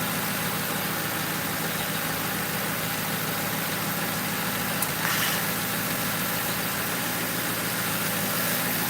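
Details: 2005 Crown Victoria police car V8 idling after replacing the grounded No. 4 ignition coil and plug that kept blowing fuse 9 and cut all eight coils; smooth even steady beat, no stumble or misfire; normal idle.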